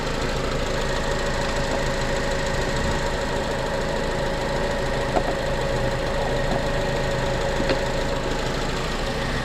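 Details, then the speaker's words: 2006 Honda Accord after no-start fix: even, smooth idle with no knocks or misses, sounds good; odorless white smoke still from tailpipe, expected to burn off with driving. "But it's running and it sounds good, so I think I just need to take it for a test drive like I've been saying, and go from there."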